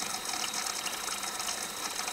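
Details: Hotpoint/Indesit dishwasher under test for spray arms not rotating, side panels removed: even rush of water with a faint steady ticking from the flow-meter wheel; the machine is filling normally.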